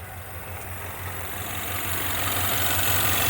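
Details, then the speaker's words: 2016 Ford Mustang 2.3L EcoBoost, replacement engine installed elsewhere, 128,572 miles, check-engine light flashing: uneven, lumpy idle with irregular thump about four times a second, engine shaking badly; misfire. "Look at how it's flashing, which means it's misfiring. This thing is shaking bad."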